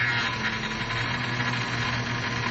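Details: 2004 Cadillac Escalade 6.0 V8 at idle: steady high whine while the steering wheel is turned, also when pumping the brakes; owner suspects power brake booster or power steering pump, unconfirmed.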